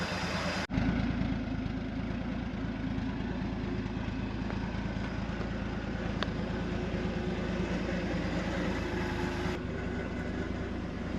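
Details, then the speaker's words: 1971 International Harvester 1110 pickup, AMC 232 straight-six, 4-speed, idling after its first start on a rebuilt carburetor, with timing set and coolant added. Smooth, even low idle with a steady beat, no stumbles or tapping, no smoke; healthy. "that's pretty good doesn't even have a cloud of smoke out the bag"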